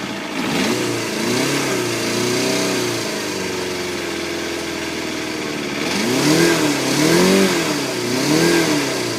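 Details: Yamaha FZR250R first start after top-end rebuild (new piston rings, valve clearances set, helicoils for head studs); crisp throttle blips rise and fall cleanly, smooth idle, no rattle or tapping; normal running.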